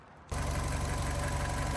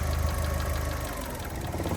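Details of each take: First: 2008 Fiat 500 1.2 petrol, 25,000 miles, after repair of an idle fault (MAP sensor ordered, timing also suspected): starts and settles into a steady, even idle with no stumble or hunting. Idle fixed. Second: 2008 Fiat 500 1.2 petrol, 25,000 miles, after a part swap retest: idle low rumble sags then picks back up, hunting idle persists; suspected intake air leak, throttle body next suspect, ordered.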